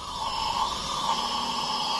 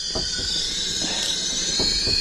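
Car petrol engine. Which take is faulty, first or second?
first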